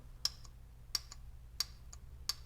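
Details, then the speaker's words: Bench test of a single-wire shift solenoid from a 2005 AWD Toyota Matrix U340/U341E/U341F automatic transmission, powered from 12 V battery: four crisp, sharp clicks with faint softer after-ticks; solenoid works normally. "you can also o see it moving up there that means that it's working now listen to this one here that one's a little bit louder"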